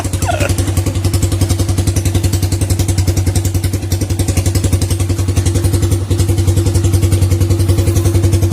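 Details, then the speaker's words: First-generation Honda Supra Fit, brought in for stumbling and hard starting when hot, running at cold idle after repair; a steady, even single-cylinder thump with no stumbles or popping, clean before warming up. "Kalau untuk kondisi mesin dingin, suaranya bersih, nggak ada kemlecek atau apa segala macam ya."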